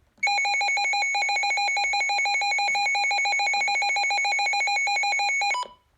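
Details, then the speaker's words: Midland WR100 NOAA weather alert radio alert test: rapid, steady high-pitched beeping for about five seconds, then stops cleanly; classic, not super loud but audible several rooms away; strobe not flashing, likely needs new batteries. "Anyway, here's the alert test. I actually like that sound. It's a pretty classic sound. And it's not super loud."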